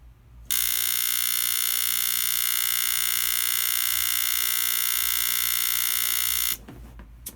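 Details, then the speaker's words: ESP D5131NT 120V 1800W line conditioner (isolation transformer) on bench power-up: harsh steady mains buzz holding unchanged; source not yet found, simple repair involving a 3 kohm resistor follows. "So yeah, that wasn't a fun sound to hear coming from potentially my stuff. So I'm going to show you where that noise comes from and how to repair it."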